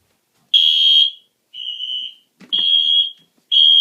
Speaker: there you might be able to hear the panel beeping downstairs too